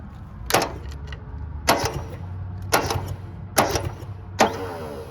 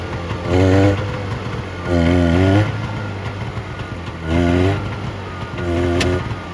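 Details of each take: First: 1970 Subaru Sambar pickup off the road 40 years, hot-wired to crank with no power to the ignition: five sharp clunks about a second apart with nothing turning; the crusty starter engages then drops out. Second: 1970 Subaru Sambar pickup off the road for 40 years, first run after loosening the distributor to add timing advance (timing or points suspected off); steady idle, then four clean, quick throttle blips rising and falling evenly: runs fine.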